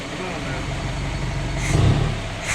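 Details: Freshly rebuilt engine just installed, first start, warming and breaking in: steady low rumble with two brief throttle blips, smooth and even; normal running.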